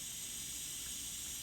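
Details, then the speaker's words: Bench test of an aftermarket blow-off/diverter valve fed air pressure, barely reaching 5 psi of a 20 psi target: a steady high airy hiss as the diaphragm leaks instead of sealing; could cause boost or idle issues. "psi and here the diaphragm on this thing is not even voiding pressure at all so if you're running one of these coach and you have acumen or idle issues to check it the diaphragm is probably"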